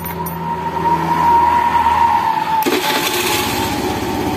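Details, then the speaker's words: Honda Beat FI scooter that only clicked "tek tek tek" on the starter, now fitted with a different battery reading 12.5 V: quiet hum, then it catches at once and settles into a steady light note; the fault was the battery. "teman-teman Ini motor dah hidup ya Coba lagi ya"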